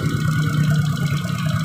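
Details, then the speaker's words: Suzuki Shogun 125 with weak charging that sounded rough with the battery disconnected; after replacing the regulator/rectifier, battery removed, the single cylinder putters evenly at idle with no misses: normal idle. "jadi saat kita lepas aki ini setelah kita lakukan pergantian pada kiproknya mesin itu jadi enak"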